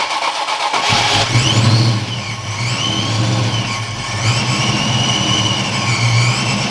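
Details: 1986-93 Mustang V8 first start after AFM-Vortech V3 Si supercharger kit install: starter whirs briefly, V8 catches and settles into a deep steady idle with light blips; sounds healthy.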